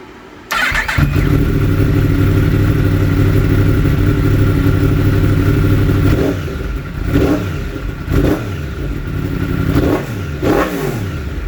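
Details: 2016 Yamaha R1: steady idle, then the engine stumbles with uneven dips and surges every second or two after a riding-mode change; misfire when mode changes.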